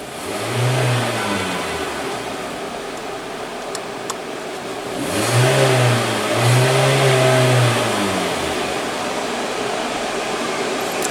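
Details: 2017 Hyundai Elantra with check engine light and poor throttle response, idle during snap-throttle tests while watching the misfire counter. Smooth idle and three clean blips rise and fall without stumbling; an ignition coil failure was diagnosed.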